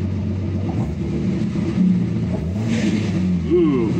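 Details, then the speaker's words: Datsun 280Z on Speeduino after setting MAP-based acceleration enrichment: engine snaps up quickly on each throttle blip and drops back cleanly, no bog or stumble; clean throttle response. "but listen to the engine you can kind of hear it as it's figuring things out and kind of liking it"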